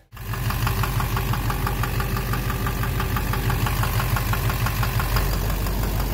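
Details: 2009 Chevrolet Duramax LMM dually with Allison transmission, suspected injector knock or cracked flexplate, idling: regular knock about twice a second over the diesel clatter, source not yet pinned down; diesel engine knock.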